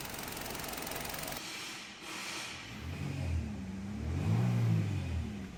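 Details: 2023 Hyundai Verna petrol BS6 automatic, with radiator refitted and engine running about two hours: a hiss at first, then a low engine hum that rises and falls slightly and stays even with no knocks. Normal idle.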